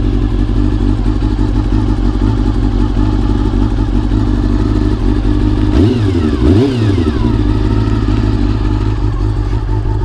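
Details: Honda CBR400RR (NC29) after swapping in a CBR600F fuel pump to cure pump noise: smooth even idle, a quick clean throttle blip, no whine or buzz over the engine; normal pump operation.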